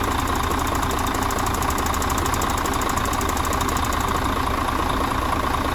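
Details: Mercedes Axor truck, OM457 diesel, first run after full engine rebuild for knocking: even, steady idle with regular diesel clatter and no stray knocks; running smoothly and healthy.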